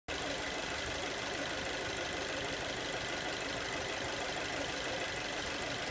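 Steady hissing, whistle-like hoot sits over the running engine without a clear knock rhythm; an odd noise whose source isn't obvious.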